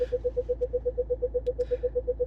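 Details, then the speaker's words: 2022 Range Rover Evoque (UK right-hand drive) reversing sensors: quick, evenly spaced mid-pitched beeps, about seven a second, warning of a close obstacle while reversing; the beep can be muted with a button. "And the beeping noise you can hear right now, you can mute that sound by clicking that button right there."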